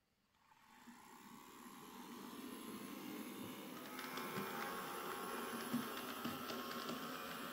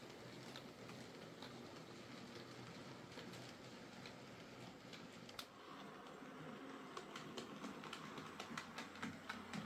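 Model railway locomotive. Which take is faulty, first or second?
first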